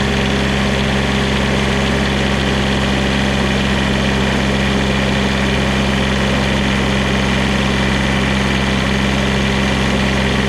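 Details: Onan QuietDiesel 7500 W generator from 2000 Holiday Rambler Endeavor RV, 2400 hours, test run after full service and fuel-system priming: steady even speed, firm low drone, no knocks or rattles; running healthy.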